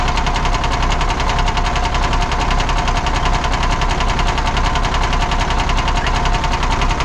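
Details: 1979 Kenworth W900A with Cummins diesel, idling: hard regular knock at about two beats per second; number 3 cylinder suspected, maybe piston, not the bottom end, cause unconfirmed. Engine knock.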